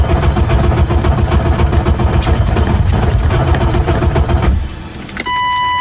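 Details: BMW E36 with new ECU; steady fast cranking for several seconds, never catching, then a chime. Extended cranking without starting, owner suspects failing ECU, not confirmed.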